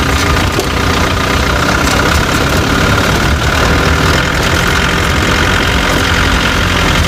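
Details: Chevrolet Tavera diesel at idle: steady clatter with sharp, irregular knocking; owner reports a khatpat knocking sound that 10 mechanics could not diagnose, source unknown.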